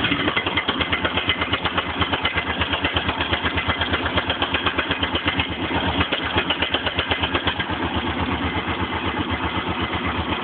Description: Knocking sound coming from top-end when engine is cold. After warming up the sound quietens and disappears.